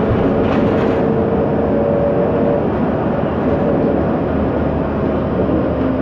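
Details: 2009 MAN Lion's Classic city bus, MAN E2876 LUH03 EEV CNG engine, ZF Ecomat 6HP504C six-speed automatic, under way: wavering mid-pitch whine rising and fading over steady road rumble; noisy rear differential.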